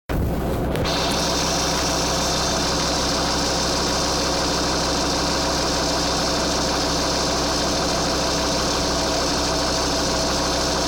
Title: strange noise 2,4 JTD